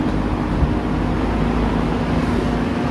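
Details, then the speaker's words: Vintage electric fan on high speed: steady even low hum with smooth rush of air, no rattle or scrape; runs strong and healthy. "Nice, strong high. This is a great fan, you know."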